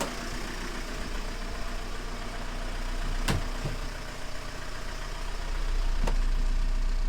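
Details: 2010 Renault Mégane 1.9 dCi diesel after repair of a crank-no-start (P0090) traced to a bad wire to the fuel flow solenoid valve, which reads about 742 mA on the scan tool. Even diesel clatter at a steady idle, about three pulses a second, no stumble or hunting; healthy idle.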